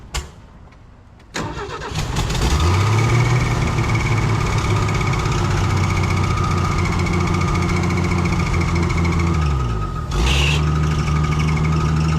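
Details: Old carbureted Ford six-cylinder that sat for months, with gas poured down the carb. Brief cranking, then it catches, stumbles and settles into a steady idle of about 220 pulses a minute. Hard start after long storage.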